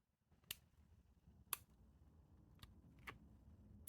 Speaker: you can hear the clicking of that detent into that deepened divot what they do this for in sporting is to make it so it's harder to knock the slide stop up on accident